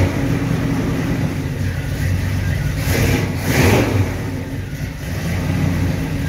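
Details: 1937 Dodge engine after fitting a new distributor and setting initial timing; steady running with a couple of clean throttle blips rising and falling smoothly, no misfire or stumble; distributor works fine, runs like a champ, but needs new plug wires.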